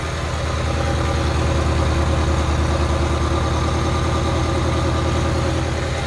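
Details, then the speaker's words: 1994 Euro-spec Ferrari F355, Capristo exhaust with unknown cats, earlier O2 sensor faults and poor-looking spark plugs: deep, lumpy idle stuttering and stumbling about three times a second with a side rattle from rough running; misfire, one cylinder not firing. "And now that we have it running here at idle, there is a rattle on the side cuz it's running rough, so ignore that. But you can hear that it's really not smooth. You can hear it's kind of stuttering and stumbling."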